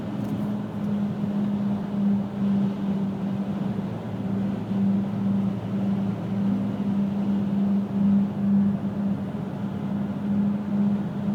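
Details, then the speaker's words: 2000 Pontiac Grand Am GT cruising: steady low drone with slow pulsing swell under road noise, showing from about 35–40 mph, sometimes felt underfoot. Persists despite hub bearings replaced twice, new driver CV joint, pads, rotors, calipers and rotated tires; source undetermined. "it's a vibration I can feel it sometimes under my feet sometimes I can't"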